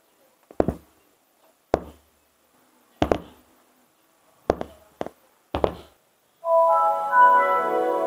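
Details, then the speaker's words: Speakers connected to a Focusrite Scarlett 2i4 interface pop about six times, sharply and irregularly, while the PC boots, before music plays; a 555 time-delay circuit seems to solve it. "that's the sound of popping speakers when the pc is powering up not only are these sounds annoying they also have potential to damage the speakers"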